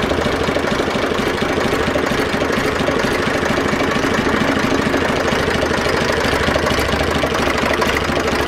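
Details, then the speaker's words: Zetor 4911 tractor diesel, stored since 2012, restarted after coolant top-up with no leak at the cylinder head, warming up: even idle clatter, unchanging loudness, no misses or knocks; running sweetly. "we'll give another start okay let's get a bit of heat into it but uh running sweetly"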